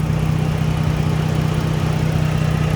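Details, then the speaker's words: Dodge Journey engine at idle after reconnecting the battery negative in an alternator test; idle had surged up and down with it disconnected: even, steady low hum, no surging or hunting; running smoothly. "when i put it back completely smooth running idle's not going up and down it's just running normal"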